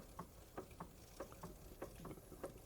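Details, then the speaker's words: Restored Wilesco D32 model steam engine ticking over slowly with a voltage reducer fitted: soft, light ticks about three per second, steady with no knocking; normal smooth slow running. "how slow that will go. Look. Looks like the proper old steam engines you see in museums."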